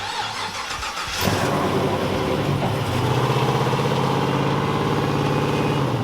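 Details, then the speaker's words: Rat rod wrecker tow truck damaged at an off-road event; engine fires and settles to idle with a quick uneven flapping rattle from an idler pulley wobbling in the belt drive: loose idler pulley. "Oh, no. It's not that pulley. It's that idler flapping around in there. Yeah, it's that idler."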